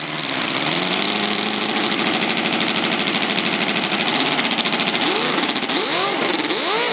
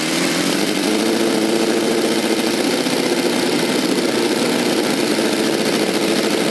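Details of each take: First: V8 model engine with rotary valve, test run without exhaust: revs surge wildly near full throttle because the throttle servo stopped responding. The engine ran away until it ran out of fuel and died abruptly. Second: V8 model engine with rotary valve, with new 3D-printed aluminium exhaust manifolds and a manual servo-dummy throttle with an idle return spring: smooth, even high-pitched buzz at steady speed with no misses or knocks; runs great.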